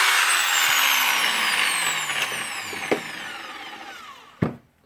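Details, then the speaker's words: Makita 9558HN 125 mm angle grinder after armature and gear housing replacement (was sparking): high clean whine winding smoothly down after switch-off, no grinding or crackle; normal running. "yep it's working so we're lucky we fix this"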